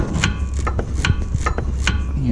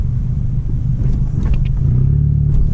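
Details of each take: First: VW MK6 GTI front sway bar, end links removed (18 mm nuts): repeated short creaks as the bar is worked by hand and turns in dry bushings; fixed temporarily by lubricating, though the bar should be replaced. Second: Volkswagen MK6 GTI test drive after lubricating the sway bar bushings to cure crunch or creak over bumps: only low road rumble and soft thumps, no creak or crunch; quiet front suspension, temporary fix.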